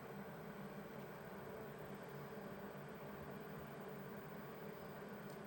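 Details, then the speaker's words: Vevor 8 kW Chinese diesel heater restarting after its cool-down cycle: soft, steady fan rush with a faint hum and no burner roar yet. This is the normal startup purge fan before ignition. "So right now I'm imagining it's running the fan, making sure that the combustion chamber doesn't have any fumes in it before it goes and lights her up."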